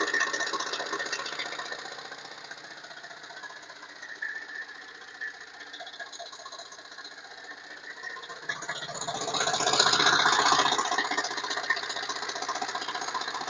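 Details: Chrysler Voyager S2 turbodiesel engine at idle; sharp regular rattling knock about four times a second, swelling as revs briefly rise; source not identified; engine knock at idle.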